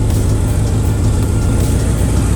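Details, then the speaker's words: Oldsmobile 350 Rocket V8 in a square-body truck after carb rebuild and repairs: deep steady rumble, even firing, no knocks, ticks or misses; normal idle. "Boy, it just sounds good, doesn't it? It's running good."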